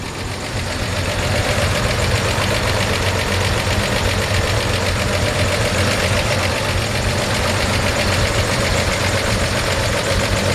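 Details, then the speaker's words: 1949 Chevrolet 3100 pickup on a six-volt system: steady, even idle with a smooth low rumble and no knocks or misses; healthy-sounding engine. "nice healthy nice healthy sounding engine we shut it off here and show you around some more"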